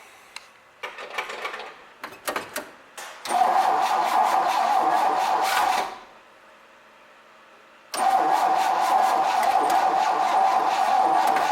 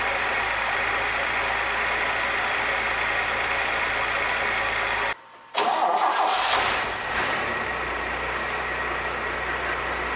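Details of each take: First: 1966 Chevrolet C20, Chevy 292 six, first start attempt with carb idle mixture screw 1.5 turns out: choppy cranking, catches, runs briefly, quits, fires again. Owner suspects distributor timing too far advanced. Hard starting. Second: 1966 Chevrolet C20 with Chevy 292 six after first start: starts right away on the key and drops into a smooth, even idle with no misfire. Idle mixture set with vacuum gauge; vacuum about 17, owner hopes it rises as rings seat. Normal idle.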